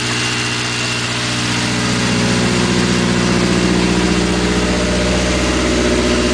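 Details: 1980 Triumph Spitfire 1500 cold-day start, running a carburetor that replaced a Stromberg which ran lean or rich; steady, even idle at about three beats a second with no misses, stumbles or hunting, normal idle.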